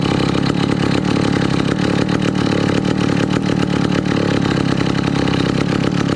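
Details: 1962 McCulloch 1-46 chainsaw, revived after lacking its carburetor and other parts: loud, buzzy two-stroke runs at a steady, even pitch without stumbling or misfiring; running cleanly.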